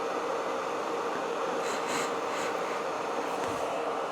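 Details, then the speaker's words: Repaired mask blower fan now wired straight off the battery instead of through the boost converter and resistor string; battery steady at 58, no excessive amp draw; steady airy whir with faint constant tone, no surging or rattle; fan runs normally. "battery's steady at 58 we're not drawing excessive amps the fan is running just fine"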